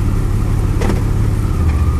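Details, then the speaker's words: 2002 Chevy Blazer with a clunk into and out of reverse, here shifting from park to drive at idle: steady low idle with no clunk or thump; this engagement is smooth and normal. "all right now I'm gonna shift at the park from Drive nothing perfectly fine now I'm going to shift it from Park to drive"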